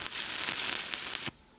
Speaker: Also, if you're increasing your arc length, you'll hear a lot of crackling, spatter. That's telling you, you're too far away.